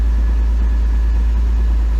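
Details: Pontiac Fiero 2.8L V6 after fan temperature switch replacement, warm idle. The fan cut on as temperature climbed past about 227°F (spec around 230°F) and runs with a constant rush over a steady, even idle with no hunting or misses. The dash gauge reads hot. Normal operation.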